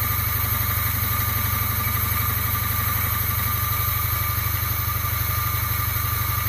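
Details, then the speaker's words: Polaris Trail Blazer 250 two-stroke bought as a non-runner, started with choke and throttle: low, uneven chugging at about four pulses a second, stalls once it drops to low idle; hard starting, low compression suspected. "It has to run at a higher idle. Once it comes down to a low idle, it won't stay running, and the reason why, I think, is because there"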